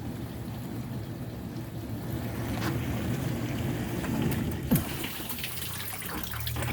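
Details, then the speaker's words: Whirlpool dishwasher rescued from scrap after a won't-drain fault, filled with water: low steady wash-pump hum under splashing, sloshing water, no grinding or straining; strong pump, running normally. "and there's the wash that's a strong pump i can hear it it's good"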